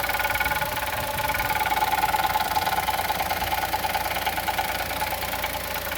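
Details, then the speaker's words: 2020 Chevrolet Onix naturally aspirated petrol engine at first cold start of the day, idling with a steady knock about three beats a second, also with brake pressed; owner suspects piston pin or valve lifter. "Vamos ver se o motor vai fazer batida. Olha o barulho do motor batendo."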